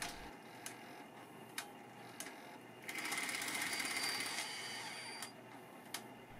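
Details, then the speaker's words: Sony EV-S9000E/EV-S7000 video recorder: sharp plastic ticking about once a second over the mechanism whir during fast forward and eject, then aborting; the cause is a split supply and/or take-up spool from plastic shrinkage. "we can hear the ticking noise during eject 2. the cause is either the supply spool or the take-up spool or both are split"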